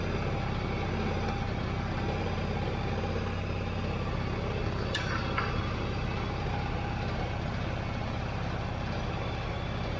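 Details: Yamaha V-Star 1100 (XVS1100) V-twin idling after a carburetor clean, with the airbox off: a deep, steady loping beat with no misses or hunting and a little extra intake roar. Runs smooth.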